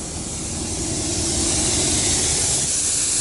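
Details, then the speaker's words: 1986 Ford dump truck; the air line pops out of a compression fitting, apparently when the tailgate control is operated, possibly because an insert is missing. Loud, steady rush of escaping air: air leak at the compression fitting. "popping out of that compression fitting it's because I think that I think there might be an insert that's missing right there"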